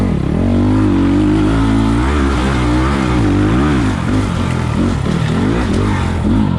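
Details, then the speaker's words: 2020 SSR Motorsports SR300 dirt bike with Lectron carburetor, riding muddy woods trail under load: revs rise and fall smoothly with throttle, no stumble or bog; normal running, much better than stock carb. "100 better you guys can probably hear it yep this electron carb kills it on this bike"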